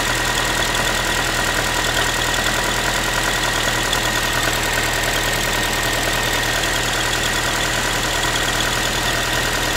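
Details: Ford Focus 3, 1.6 (125 hp) engine idling after a cold start: a fast, loose tinny rattle of roughly three ticks a second riding over the engine; source unclear, owner asking what it is.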